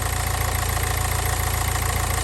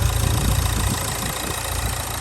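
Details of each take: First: Nissan Juke diesel, very low mileage, engine looks fairly new, bonnet open: steady even diesel clatter at idle with a regular beat, no knocks or misses; sounds as alright as a diesel should. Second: Low-mileage diesel Nissan Juke, 6-speed gearbox, just jump-started: loud, fast, steady drone well above normal idle; it over-revs with the engine light on, and the cause is unknown pending diagnostics.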